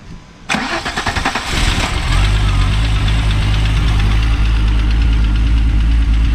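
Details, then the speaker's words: Car after replacing the crankshaft position sensor: quick crank, catches at once and settles into a steady, even idle with no stumbling. Starts properly now. "That started way better, like it's supposed to. Yeah. I said crank sensors can be super finicky."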